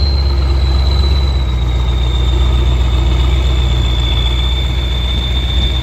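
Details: Kirovets K-700 tractor turning in a field: clear, steady high turbo whistle over deep diesel rumble, sagging slightly as load eases; normal turbocharger whistle.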